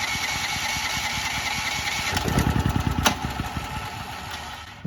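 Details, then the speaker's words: New Firman T07573 tri-fuel generator on propane with the start/choke on; steady starter cranking at about three pulses a second, rising then fading, with no catch; the owner suspects a tank issue, unconfirmed. "let's go ahead and get this started red lights on [Applause] we're not having as much luck so far foreign"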